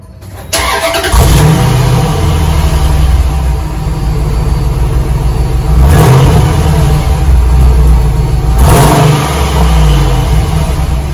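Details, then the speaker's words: 2004 Dodge Ram 1500 Hemi 5.7 V8 with stock muffler and resonator, before muffler delete; cranks, catches, smooth muted rumble swelling with revs, owner says it sounds like a four-cylinder; normal start and rev, quiet stock exhaust. "so it's a dodge ram hemi 2004 5.7 but it doesn't sound like a truck"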